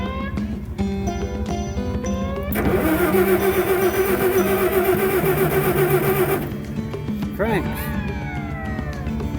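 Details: Old low-hours scissor lift's combustion engine cranking: steady even starter chug about three to four turns a second, never catches; crank-no-start, fuel to be checked next.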